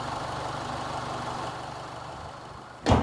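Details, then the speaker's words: 2005 Honda Stream 2.0 facelift automatic with a weak battery but normal alternator charging. Low, steady idle hum, no knocks or misses, quiet until a door thumps shut; engine standard and normal, transmission tested from cold. "kemudian mesinnya bagus standar normal kemudian transmisi matic-nya juga sudah saya coba mulai dari mesin dingin sampai pa"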